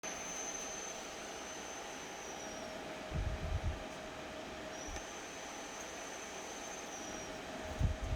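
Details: Dyson Pure Hot+Cool HP04 purifying heater fan with bulging sides: steady airflow rush with a thin, high whistle that comes and goes, dipping in pitch as it fades.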